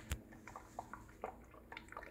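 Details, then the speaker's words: Hand-pump oil extractor drawing engine oil through a line into its canister under vacuum: quiet, irregular bubbling pops and gurgles as the oil siphons steadily, normal operation. "you can hear it sounds like bubble guts so what you want to do is just let that do its job and do another pump"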